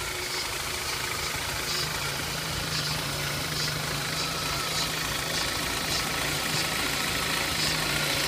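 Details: BMW E46 316i with M43 engine at idle: steady idle with a fine, fast ticking near three per second over a low hum; engine noise at idle, origin not pinned down.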